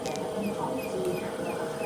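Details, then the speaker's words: Hatari Slide Smart L1 18-inch fan: thin high squeaks chirp over the motor hum as it spins up, constant noise from worn but not yet dead motor bearings, which are being replaced. "ซึ่งตอนเนี้ยนะครับมันก็จะมีเสียงเงี้ยดังตลอดเลยนะแต่ลูกปืนเนี่ยมันยังไม่ถึงกับตายนะนะครับผมก็เลยต้องทำการเอ่อเปลี่ยนนะครับผม"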